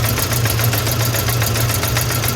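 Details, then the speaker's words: 1994 Ford Ranger 2.3, flooded plug cleared: lumpy uneven idle with regular stumble each cycle; pulling cylinder 1 wire changes nothing, cylinder 1 dead while 2–4 fire; engine to be pulled. "Well, I got it to idle, but looks like I'm pulling this motor. Cylinder 1 is completely gone."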